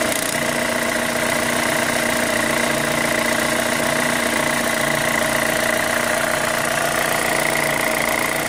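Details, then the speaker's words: 2005 Chevy Cobalt LS 2.2L with a P0304 cylinder 4 misfire code, idling: a light, fast tick of roughly three or four a second over a steady idle with a faint whine; the owner suspects a lifter, unconfirmed. "Something's making a noise. I still think it's a lifter right here. It sounds kind of like one."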